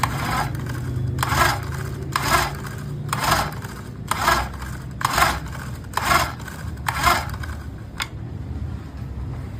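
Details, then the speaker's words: Honda GX35 brush cutter, model UAMK435T, customer reports no start, tank full: about one rasping recoil pull per second, spinning freely without compression resistance, won't fire; no compression, recoil starter to be checked first. "देखा आपने recoil starter खींचने पर कैसा साउंड आ रहा है। Recoil starter खींचने पर साउंड आ रहा है और कंप्रेसर बिल्कुल भी नहीं है मशीन में।"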